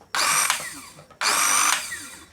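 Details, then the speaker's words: Small mixer grinder with the faulty push button bypassed by direct wiring: two short bursts of high whine that sag and die as the motor drags and stalls. Motor heated up; dry, rusted bushing jamming the shaft. "जुओ तो हवे अहींया गरम थई गयुं छे એટલે આમાં bushing જે છે ઈ કોરું પડી ગયું હોય એવું લાગે છે।"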